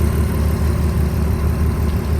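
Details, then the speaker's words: 2004 Volkswagen Touareg V6, engine bay: even, steady low idle hum with no ticks, misses or knocks; engine still very clean and quiet. "the engine is still very very clean and quiet"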